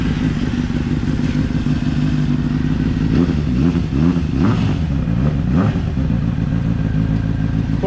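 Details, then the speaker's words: Honda CBR600RR with decat pipe fitted, not yet dyno tuned, after cam chain tensioner reset cured an earlier awful clatter: steady four-cylinder run with light blips, slightly gargly exhaust, no top-end clatter; normal running. "by the way it does sound a bit gargly at the minute because because of the deer cut and i've had no dino tune yet"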